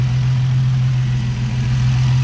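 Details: Nissan 350Z with VHR intake manifold swapped on, no tune: it earlier bogged and sounded like a massive air leak, then extra ports and holes were plugged. Now smooth, even low idle, steady hum, no hunting, hiss or stumble; normal idle.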